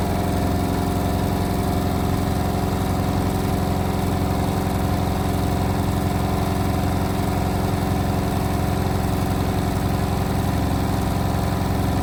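High-speed spin hum with a steady rumbling pulse about four times a second; something is off in the drum, cause unclear.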